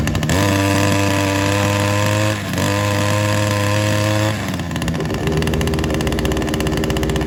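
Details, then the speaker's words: Ryobi SS30 multi tool two-stroke that wouldn't start, after a complete carb tune: steady buzz holding an even pitch, with a small dip partway through and a slightly changed note after; runs evenly, sounding a little better. "I think that sounds a little bit better now"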